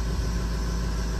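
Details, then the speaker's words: Rebuilt 6.0 Powerstroke F550 after a sudden shutdown, idling after IPR work: a steady, even low rumble with no stumbling or knocking. Smoky; owner suspects a stuck injector. "but everything looks good looks like it's pretty steady so i'm just gonna let this run for about 10-15 minutes"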